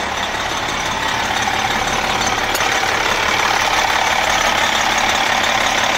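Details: MCI coach with a Detroit Diesel S60 DDEC6 (425 hp at 2100 rpm): a steady, even idle hiss and hum with no missing beat.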